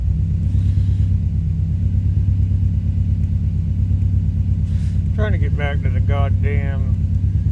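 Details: 2005 Subaru Forester XT after an idle adjustment; codes show a blow-by function problem and a P21xx code, owner concerned about blow-by, earlier a coil miss and suspected rich running. Low idle with an uneven, lumpy beat of about three pulses a second; rough idle, cause unconfirmed.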